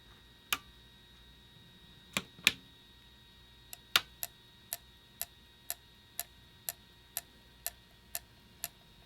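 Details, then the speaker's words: PS1 not reading discs, after lens cleaning and reconnecting: disc now spins but the drive gives sharp light clicks about twice a second; weak laser, fixed by lowering laser pot resistance from about 616–626 to 496. "all right good news is we actually got a spin so we're probably gonna have to adjust that laser"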